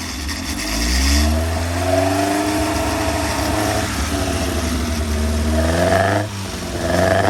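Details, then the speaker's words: Freshly rebuilt 1200cc Hillman Imp engine (long-stroke crank, longer rods with spacers, upgraded cam, longer valves) running in on a dyno: catches and revs cleanly, pitch rising and falling smoothly, no knocks or misses; runs normally. "I've been running it in on the dyno, and it runs an absolute treat. It's lovely."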